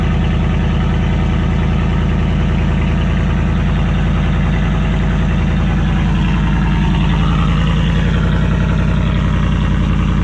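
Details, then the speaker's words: Ford F-150 whose muffler and tailpipe slid off, exhaust dumping under the cab, after cold start, idling: loud deep raw popping rumble; exhaust open without muffler. "Not going to lie, it's a little loud, but that's probably because it's dumping underneath the cab."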